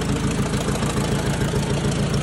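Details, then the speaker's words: 1956 Ford 800 tractor from auction, new clutch and carburetor, sat outside about a year, just started after choke and throttle: low, steady putter with even firing and no knocks or misses; idles cleanly and keeps running. "we got a runner there boys might have been hard to hear the Koda there but he's pretty quiet"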